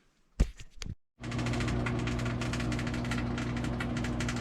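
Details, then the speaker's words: 23-year-old Kenmore 110 washing machine that won't drain, during diagnosis (suspected capacitor, motor or lid interlock): steady low hum with a rapid, uneven ticking rattle; unidentified knocking vibration noise. "oh that doesn't sound good I wonder what that is"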